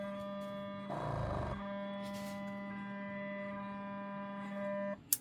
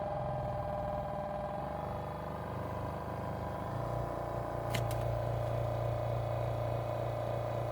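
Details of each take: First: Portable airbrush compressor (rated up to 40 PSI, unfamiliar brand) with outlet shut by quick release: steady low buzzy hum running continuously without cutting out, so auto-stop isn't working. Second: Portable airbrush compressor (rated up to 40 PSI) under sound-meter check: steady even hum with low drone and mid tone, no knocks or rattles, as loud as others tested, runs normally but never stops.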